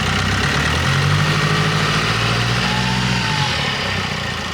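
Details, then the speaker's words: Turbo petrol engine running with all accessory belts removed and the air filter off: brief throttle blip, loud intake drone from the missing filter but no whistle. Rules out belt-driven parts as the whistle source. Normal rev, no whistle. "Бубнит, конечно, сильно, но бубнит это из-за того, что снят фильтр. Вот. Но свиста нет."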